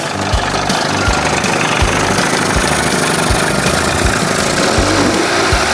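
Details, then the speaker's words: Warm 1981 Evinrude 20 hp two-stroke outboard after powerhead flush and new thermostat and gasket, previously running cold; idles steadily with an even, unhurried burble, no knocks or misses; normal idle. "Little tweaking. Sounds good."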